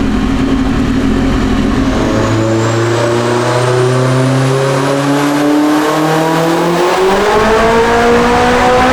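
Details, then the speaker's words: Turbocharged Acura RSX Type S on dyno, 19 lb boost, 562 hp: clean, steady note climbing smoothly to high revs under full load with no misses or knocks; normal healthy full-throttle acceleration. "thing just made 562 on 19 lbs of boost we pretty much knew that if it made 20 20 some lbs that it would make right at 600"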